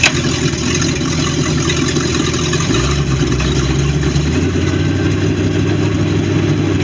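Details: Baja boat with a MerCruiser 5.7 V8, final running test: loud, steady engine with a heavy low rumble and a rough beat underneath, consistent with internal engine knocking.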